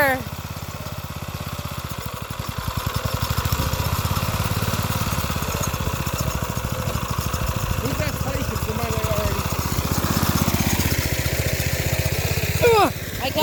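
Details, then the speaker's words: Previously seized small single-cylinder engine repaired, driving a garden tiller at idle with no clutch: even regular thumping under light load, no stumbling or smoke; runs normally. "well it works there's no clutch its have to lift in into there to start whatever just doing it on idle for now it engines running great not even smoking whatsoever"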